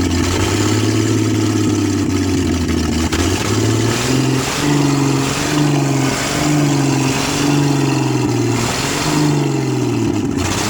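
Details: 1966 Ford Mustang V8, reassembled, jump-started, exhaust manifold disconnected: loud, raw, hunting up and down about once a second, never holding idle, dies when returning to idle; oil pressure good; owner suspects carburetor rebuild or vacuum leaks; rough unstable idle.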